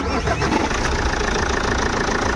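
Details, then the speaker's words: Jeep Compass diesel started after alternator pulley replacement: catches and settles into steady even idle with no squeal, chirp or the earlier grinding from the belt side; now silent, problem solved. "य देख सकते जो हमारा आवाज आ रहा था पहले वो चला गया है और गाड़ी हमारी साइलेंट हो गई है"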